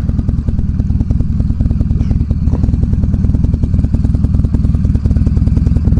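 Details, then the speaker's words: Car riding at speed after a clutch repair: fast, uneven clattering rattle over a heavy low engine thrum; owner suspects a rattling exhaust, with a new exhaust due, origin unconfirmed. "got a new exhaust coming in tomorrow so hopefully that rattling goes away I think it's just a rattling of the exhaust"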